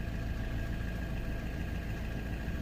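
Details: Great Wall diesel idling smoothly after draining water from the fuel filter and priming with the primer bulb; steady, even low rumble with no misses, knocks or hunting, and the water-in-fuel warning light goes out. Normal idle.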